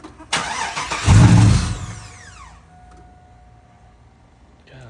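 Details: 2001 Chevrolet Silverado that wouldn't start; fuel pump replaced a year ago, fuel pressure confirmed. A sharp catch and brief loud rev flare, then it dies within two seconds: starts but won't keep running. Owners suspect the security system.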